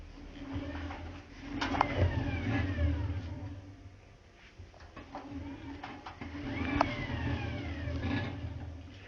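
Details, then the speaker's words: Washing machine unplugged with the door open, its empty drum turned by hand: a soft whirring swell with faint motor drag and no rumble or crackle, so the drum bearings are healthy. "Bu kazan şu anda Bozuk olmadığı için yani Kazan balara sıkıntı olmadığı için herhangi bir uğultu yapmadan motor sesi var sadece o şekilde dönüyor"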